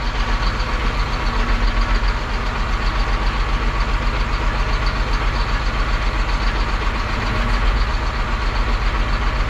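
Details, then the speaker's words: John Deere 8235R tractor diesel at cold idle: uneven, stumbling beat with a regular skip, cylinders missing; low compression suspected, cylinder cut-out later shows number 3 weak and number 4 dead. "Missing. Hear it missing?"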